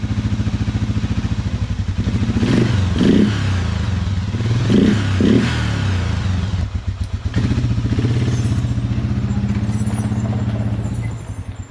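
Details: Suzuki Quadrunner 500 (LT-F500F, about 2000) single-cylinder: lumpy idle broken by sputtering pops, backfiring and not revving off idle. Cause was a faulty vacuum-actuated fuel petcock leaking vacuum.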